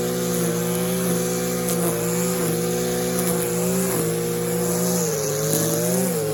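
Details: Stihl KM94 RC combi powerhead after rebuild with new bearings, seals and carb work, strimming: smooth, steady drone with even pitch and small throttle dips, no misses or knocks; running well.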